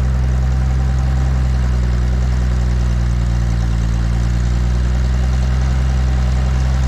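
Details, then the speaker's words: 1950s Galion 503 motor grader, sitting 10+ years, first run after electrical fixes, plugs and fuel: a deep, steady low rumble with an even beat and no knocks or misses; the engine runs smoothly and healthy. "I can't believe how good this thing runs man very first time in po here"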